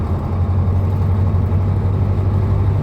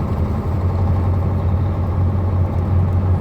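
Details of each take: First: KamAZ truck diesel knocking while driving, oil pressure and temperature normal: heavy running with a dull, steady low knock under the engine note; failed injector on cylinder three, later replaced. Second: KamAZ truck diesel after replacing the injector: steady low drone with an even deep beat and no knock; the knock is gone and the engine runs normally.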